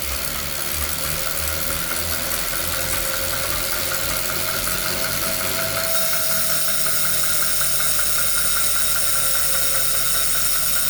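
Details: Brand-new Wahoo Kickr Core smart trainer: loud steady flywheel whir with a faint repeated knock or click underneath; cause not identified.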